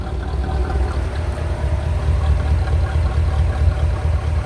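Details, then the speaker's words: 1985 Chevrolet Corvette C4 after fixing a crank-no-start from no power to the fuel pump: even, low, steady idle with no misses, ticks or knocks; normal smooth idle. "I hope you can hear the engine good here. Idling very nice. I did spill some transmission fluid on the exhaust manifold over here when I was filling her up. That always smells lovely. Sure is idling smooth."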